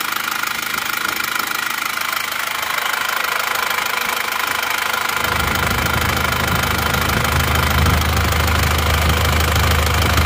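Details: Isuzu Panther diesel, hot, idling after repair: a steady, even idle with a firm low rumble and no knocks or misses. Earlier, smoke and oil sprayed from the dipstick because of an overfilled crankcase; now it runs normally.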